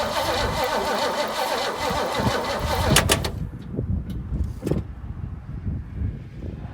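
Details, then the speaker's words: 1968 Mustang after sitting 8 years, new battery, fuel poured into the intake as accelerator pump is suspected shot: steady cranking about three seconds with no firing; no spark suspected, points possibly frosted. "Seems like we might not have any fire, so I'm gonna go ahead and show you guys."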